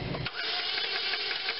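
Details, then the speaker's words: 2003 Chevy Cavalier 2.2L Ecotec, crank but no start: quick, light starter whir with no compression chuffs, spinning as if unloaded and never catching; suspected timing chain failure. "sounds like the starter is really rolling fast too almost like it's not loaded"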